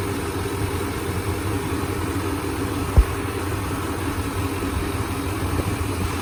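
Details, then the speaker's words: 1995 Chevy K1500 Silverado with newly installed 355 TBI V8, no cam, only three miles on it, hood open: steady, even smooth low rumble with no misses or knocking, one stray click, no leaks; normal idle. "it ain't cam like i said but it's running quite good i love it nothing leaks it's all running good smooth"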